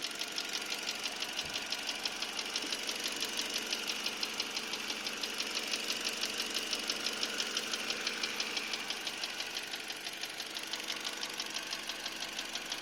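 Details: Engine knock, sharp even ticking about twice a second over a quiet steady idle; owner suspects piston slap on cylinder 4 or a piston pin, not confirmed.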